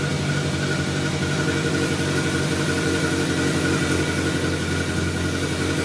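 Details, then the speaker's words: 1983 VW Rabbit GTI four-cylinder after clutch assembly replacement and transmission reinstall: even, steady idle drone with no knocks, banging or misfires; engine healthy. "yeah we're building oil pressure no banging and crashing sound that's a very good side"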